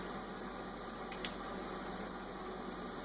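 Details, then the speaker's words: Rebuilt trunk lid power closing relay for 1957-58 Cadillac Eldorado Brougham on the bench, orange lead triggered: quiet hum then two sharp clicks a tenth of a second apart as latching relay energizes. Normal relay click. "now we're going to trigger the side that causes the latching relay to be energized which is the orange Li listen carefully and you'll hear the clinic of the latching relay energize"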